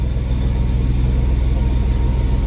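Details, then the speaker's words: Cold start of Betty, an old half-ton truck, after tinkering with it and before a run to the parts house: a steady low, even rumble with no knocks, misses or squeals, idling smoothly and sounding better than before. "if she's happy we'll make a run down to the parts house here we go my golly that sounds better"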